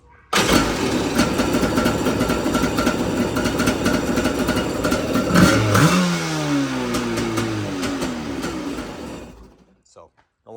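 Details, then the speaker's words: Kawasaki 650SX two-stroke jet ski after rebuild with new intake gaskets, run briefly with no water hooked up, not yet fully warm: fires right up, crisp steady buzz with quick throttle blips, pipes slightly warm; sounds good. "it's not super warm yet but um pipes get a little bit but anyway sounds good"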